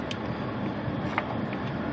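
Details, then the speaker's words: Pontiac Grand Prix blower motor on a 50°F day with the 30 A J-style fuse in; loud steady rushing air at full speed regardless of setting; failed blower motor resistor keeps the fan on high. "the reason being is because when this is in here I don't know if you can hear that or not but the blower motor is now on the blower motor is on Full"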